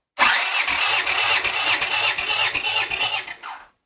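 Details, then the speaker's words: 1982 Honda GL500 V-twin compression test during cranking, 150 psi on both cylinders: starter spins evenly with strong, regular compression beats about three a second; healthy compression. "good for at 150 on both cylinders it's pretty doggone good"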